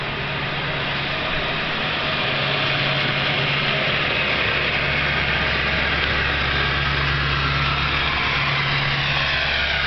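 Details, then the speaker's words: Dump truck started on a cold morning around 25 degrees with frost on the grass: steady raised engine speed with even low rumble and no miss; normal cold-start fast idle while warming up. "Got the dump running. You can hear that thing fast idling."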